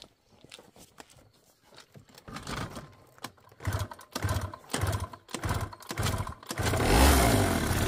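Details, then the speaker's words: Suzuki Let's two-stroke scooter on first start after a new plug, with old rings and piston fitted (compression 0 to 6 atm): uneven puttering builds to a steady buzzing run. It runs better but won't hold idle; the owner suspects the crank seals. "Ну, теперь работает лучше. Кажется, стало лучше, но холостого хода по-прежнему нет."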